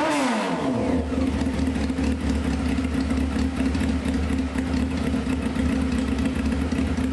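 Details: 1995 Honda CBR F3 first start, wet plugs, fuel spraying, no muffler: revs fall quickly to loud uneven burbling idle; over-rich running.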